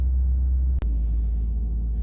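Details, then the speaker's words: 2018 Ford F350, 6.7 Powerstroke diesel, about 210,000 miles, cold, warming up before high idle is engaged: deep steady low rumble, no ticking or knocking; normal cold idle. "so yeah we'll let this warm up for a few get the fluid circulating and i'll put it in high idle because it's cold and this thing likes to be warmed up before you drive it"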